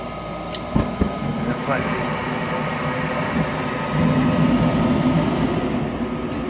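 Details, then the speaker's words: Goodman furnace with a faulty motherboard (3 flashes) running with the induction motor manually bypassed: a couple of ignition clicks, then a steady low rumble and even blower hum build as the burner lights and keeps running smoothly. "Click. That should be the ignition. There's the igniter."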